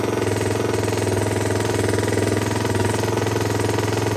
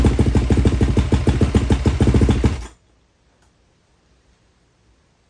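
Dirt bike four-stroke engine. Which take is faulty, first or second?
first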